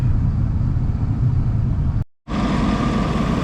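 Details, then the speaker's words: 1996 Cadillac Seville V8 with 59,000 miles and front-end damage, idling with a low, slightly uneven rumble from a known misfire, plus a steady airy hiss from the intake box; cause not confirmed. "As you can hear, you can hear the mist a little bit. And you can hear the uh hissing coming from this box."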